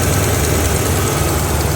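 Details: 2009-2014 Dodge RAM 1500 5.7L HEMI V8 after new serpentine belt and tensioner (torqued 32 ft-lbs) replaced for chirp/squeal: smooth steady idle, even low rumble, no squeal or chirp; running healthy.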